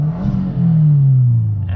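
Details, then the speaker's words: 2022 Subaru WRX turbo, still a little cold, on ramps after Perrin charge pipe install: quick rev swells and settles cleanly, low throaty note, turbo spooling, no hiss or flutter; boost system sealed, no boost leaks. "Make sure you're able to rev it and it goes back down and revs. And you can hear the turbo spooling"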